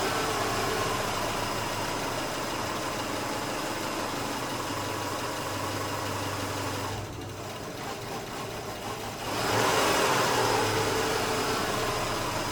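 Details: 2008 Subaru Outback, EJ25 non-turbo four-cylinder, 5-speed manual, about 96,000 miles, stalls only when hot: warm idle deteriorates, sags and nearly dies, then surges back; failing ignition coil.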